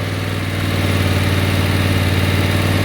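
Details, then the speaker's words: Replacement engine just swapped into old worn Husqvarna riding mower, first run, spitting and burning off oil, not yet warmed up: steady even low putter at idle, no misses or knocks; running smoothly. "Still, it's spitting oil everywhere. So, let me pull this away. I mean, let that burn off. Uh, does sound good, though."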